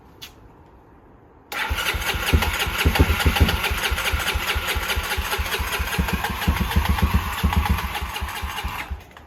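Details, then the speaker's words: 1989 Honda NX250 after restoration, fresh 10W40 oil and coolant, carb still suspect: starter churns steadily two to three turns a second for about eight seconds, never catches; no-start later traced to wrong carburettor jets. "I have a feeling I'm gonna be sad because that carb is still a disaster. But at least we got it back together. We're going to try and fire it up now and see what happens. >> Nothing."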